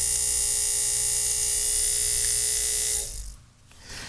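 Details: 1950s ATR mechanical power inverter (6 VDC to 110 VAC), vibrator after its contacts were brought back into connection: steady high-pitched electrical buzz for about three seconds, then cut off; vibrator contacts oscillating properly again.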